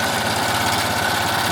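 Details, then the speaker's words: Melco embroidery machine fitted with the new black Melco-supplied hoop arms: fast stitching chatter with a harsh buzzing rattle as the presser foot hits the hoop, vibrating constantly and louder. Presser foot striking hoop. "the presser foot is actually hitting the machine, the the the the hoop, and it's just vibrating constantly, and it makes it louder."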